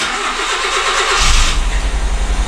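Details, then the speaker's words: Honda Civic coupe project car, run after cranking without starting: catches, then idles unevenly, surging and dipping; plugs already checked and the engine runs a little rough. "sounds like she's a little bit off at the moment i've checked the plugs and stuff but it does actually run that's the main thing"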